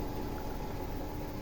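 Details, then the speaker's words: Samsung front-loader washing machine on spin with a wet towel as load, after fixing loose shock absorbers that caused knocking: drum moves but only a steady low hum, no knocks; repair done. "Всё, видим, бак дёргается, но звуков никаких нет"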